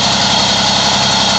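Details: Two-stroke moped (Moby) idling after variator reinstalled with a correct 4 mm shim and idle lowered: even buzzy putter, no side play, no rattle; normal idle.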